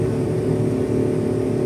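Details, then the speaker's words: Suzuki DA17V 4x2 manual non-turbo minivan climbing Antipolo at night in 3rd gear around 4,000 rpm, three aboard plus tools, aircon on, ECT 84°C, thermostat fitted: a steady, even, high-revving drone with no knocks or misses. The engine pulls healthily, just noisy. "Kaya naman siya, subukan. Ingay lang talaga, 4,000 RPM eh."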